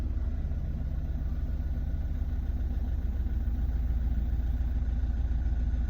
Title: Z17DTR astra rough idle, strange idle